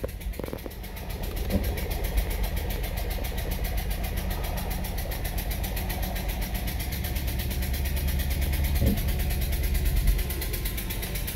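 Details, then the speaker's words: 2017 Subaru Outback, 70,000 miles: idles and revs with an uneven, stumbling beat and a chuffing skip in the exhaust, one cylinder dropping out. A blown or defective spark plug was suspected. "Sounds like it blew a spark plug out or blew a spark plug apart or something."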